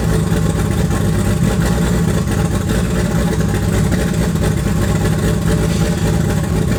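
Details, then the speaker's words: Toyota 2JZ turbo six in a Holden VL Commodore, first run in eight years after wiring work; steady but slightly uneven low drone at fast idle, one cylinder dead; misfire, running on five cylinders. "it hadn't done that for like eight years which is awesome for me it was until I was on five cylinders there"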